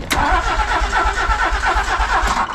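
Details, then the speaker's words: 1983 DeLorean: steady starter cranking about five beats a second with no firing; power reaches the fuel pump but it isn't running; crank no start, fuel pump not running. "we have power at the fuel pump though we just have no pumpy"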